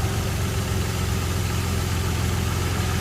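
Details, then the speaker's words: 2013 Nissan Frontier 4.0L after repairing a high-pitched whine: steady low exhaust rumble at idle with no whine on top; normal idle. "ut there's no more high pitch noise before you would hear it there's no more noise just exhaust thrattling you don't hear at all"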